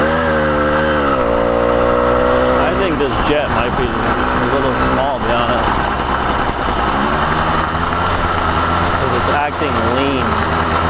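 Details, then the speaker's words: CDH110 110cc (true 85cc) iron-sleeve two-stroke on a motorized bicycle, newly installed: buzzing pitch swells and sags unevenly, surging; sounds like an air leak but owner says there are none; lean surging. "so you hear it surging it sounds like it's maybe an air leak but there is zero air leaks on this motor"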